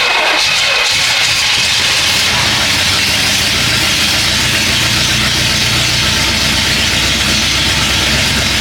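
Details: 1967 Pontiac Bonneville V8 abandoned on a farm, first start on a jump pack plus battery: loud, steady V8 rumble with hissy top end and no knocks or misses; normal running.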